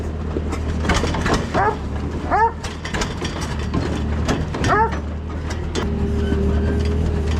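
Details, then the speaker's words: Allis Chalmers tractor, believed late-1940s WC, possibly 6-volt positive-ground system, first run after roughly 15–20+ years sitting: slow, steady low idle throb with a few clanks and squeaks around it; engine running evenly, normal idle. "well we got it running so that's the first time it's ran in I don't know 15 years"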